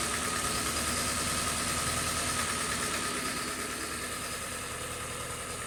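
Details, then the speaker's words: 2018 Kia Forte 2.0 L four-cylinder with timing-related codes and rattle: lumpy uneven idle, steady pulse around 200 a minute, hissy top end; in-cylinder pressure testing shows exhaust cam way over-advanced at idle, causing the rough running. "so again we are Advanced at idle and uh that's why it runs so bad because pressures are just not the way they're supposed to be"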